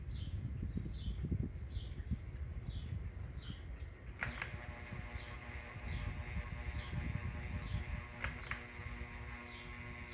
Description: Our ceiling fan might be on its last wings, as it were. It makes a loud buzzing noise. I don't know why but I would assume it is electrical.